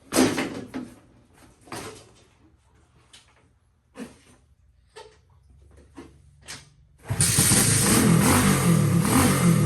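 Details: IceBear CT70 clone built from spare parts with a Lifan 125 cc engine, fired up after tuning: scattered clicks and handling, then the small single starts and runs with an even low thrum; normal running, described as sounding lovely.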